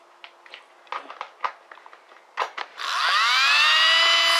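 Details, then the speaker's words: Washing machine motor: scattered clicks and taps for nearly three seconds before it catches and whines up in pitch, a poor start. "ER washing machine motor okay watch how badly this motor starts all right ready"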